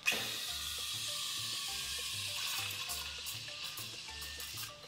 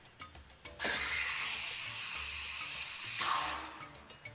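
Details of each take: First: Steam wand texturing milk in a jug: after a no-air sound, the jug is lowered to give a soft, steady tearing "sloping" hiss with no screaming, showing correct milk aeration from proper steam arm position. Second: Steam wand reheating a jug of milk that was already heated earlier gives a steady high hiss with a shrill squealing scream on top, the "unhappy milk" sound caused by heating milk more than once.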